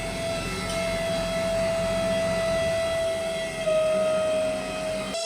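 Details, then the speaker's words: 1991 Fiat Panda 4x4 on a road trip: steady piercing whine from the radiator fan motor, which is defective and then seizes; stuck rotating brushes holding it back, oil suggested. "the Radiator Fan is defective, the rotating brushes inside are holding him back"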